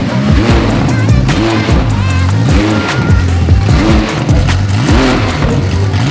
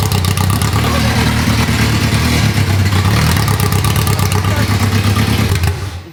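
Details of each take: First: Rebuilt Ferrari F430 V8 after its cam sensor plugs were swapped back: crisp throttle blips rise and fall cleanly, running on all eight cylinders with no stumble, flames still coming from the exhaust. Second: Rebuilt Ferrari F430 V8, first start in over 7 years: loud, choppy, lopsided beat that stumbles and shuts off while running on only four cylinders, one bank firing.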